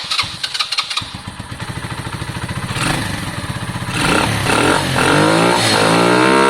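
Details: Lexmoto Valiant after EFI-to-carburettor conversion, started with more fuel and the spark plug reconnected: catches after a few cranking pulses, then revs climb cleanly and hold higher with crisp, even pull; runs better and peaks more.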